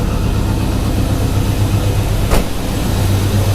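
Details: 1991 Ford Mustang LX 5.0 V8 cold start in 30s °F after winter storage since October, with a swapped battery: steady, deep, even idle with no misses or knocks; healthy cold fast idle.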